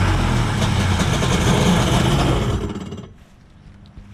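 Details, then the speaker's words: Kawasaki 1100 ZXI jet ski after fitting 38 mm taper-bored Hanon carbs: catches and runs with busy, even buzz for a couple of seconds; running normally, issue believed solved. "I think that solved the issue so hopefully we ride this thing soon"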